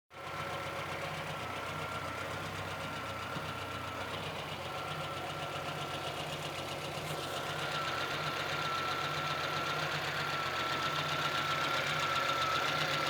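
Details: VAZ 2114 petrol engine: steady rapid ticking knock about four per second over the idle, growing as revs climb; knock from inside the engine, source unknown, owner asks what is knocking.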